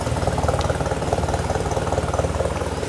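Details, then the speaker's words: Nissan 240SX idling with the cat cut out and an Apexi exhaust temporarily attached without a test pipe: light puffing tick on each pulse, about three per second; small exhaust leak from this temporary setup. "also have a small exhaust leak because of the way that this is set up right now."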